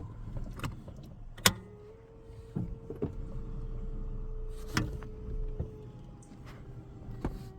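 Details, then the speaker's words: Y32 Nissan Cedric/Gloria, manual-swapped, with a retrofitted electric parking brake kit, engaged with power on while parked on a steep hill: a small motor hums steadily for about four seconds between clicks, then stops; engagement is normal. "There we go. I can hear it engaging."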